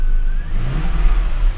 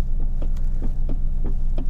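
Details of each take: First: Lexus GS400 after repair of the ECM, where a likely damaged transistor had stopped the throttle body responding: a short clean throttle blip, the engine note rising and falling smoothly with no stumble or hesitation. The throttle now responds normally. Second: Lexus GS400 idling with the accelerator pedal pressed: a low, steady idle throb whose RPM never climbs because the throttle body is not responding.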